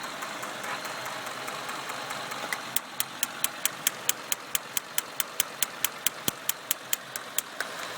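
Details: 1996 Acura TL 2.5 five-cylinder idling with cylinder 1 misfire: sharp regular snapping tick about twice a second over rough beat; spark seen escaping distributor cap at cylinder 1 only; owner plans to replace cap, fix unconfirmed.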